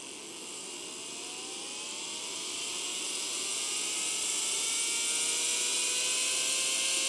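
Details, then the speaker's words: RIDEN RD6018W power supply in constant-current mode limited at 2 A driving a motor: high whine climbs slowly in pitch over several seconds, voltage still under 7 V; current-limited slow spin-up. "It took it that long to come up, and actually still hasn't even reached 7 volts yet. We're still constant current. We're still current limited."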